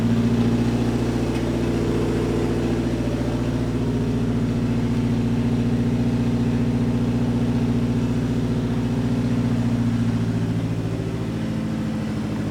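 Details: DSM car being cranked again after self-wired harness and ignition/spark plug troubleshooting of a no-start. It catches and settles into a steady, even idle with a couple of light revs, running clean and healthy.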